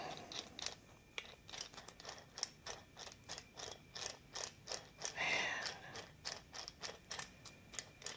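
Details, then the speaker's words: Massey Ferguson 35 Continental Z134 gas engine, rebuilt oil pump turned by hand: rhythmic scratchy clicks, about three a second, with one longer scrape as a gear rubs on the back of the cover. "You hear that? It's like rubbing on the back of the cover. That is going to have to wear itself into place."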